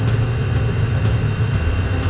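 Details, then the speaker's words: Diesel air heater switched from diesel to a quarter diesel, three quarters waste oil mix after running over half an hour: steady low roar with uneven slightly lumpy flutter; combustion sound changed as temperature dropped from about 204 to 186. "it doesn't sound bad but the sound is definitely changed 198. we are now burning on a waste oil diesel mix we've got one quarter Diesel and three quarters waste oil"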